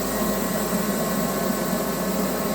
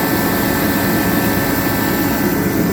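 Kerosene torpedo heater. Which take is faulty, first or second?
first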